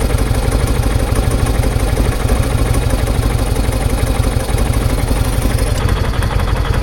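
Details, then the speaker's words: Kawasaki Vulcan 800 V-twin after carb clean, idling without airbox while mixture screw is adjusted: steady idle thump softens and falters as screw turns in lean. "turn the screw in until you hear it kind of die. There you go."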